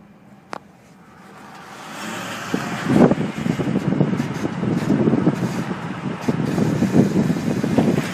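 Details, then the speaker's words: 2006 Ford F-150: rough rasping scrape from the rear that builds as the truck rolls and pulses with driveshaft rotation, easily mistaken for failing front IWEs or carrier bearing; a loose heat shield is rubbing the driveshaft. "So you may get confused for the IWEs when it's actually this uh shield in the back. And maybe I can duplicate that grinding type noise uh here."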